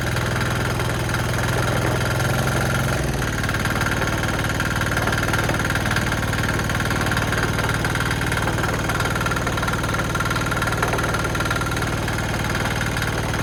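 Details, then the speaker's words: Cheap Chinese single-cylinder diesel from Amazon on plywood, started with throttle just off the stop and decompressor: steady even diesel clatter at quick idle, regular beats, no misses or knocks; normal diesel idle. "Well, she's a runner, as we can see."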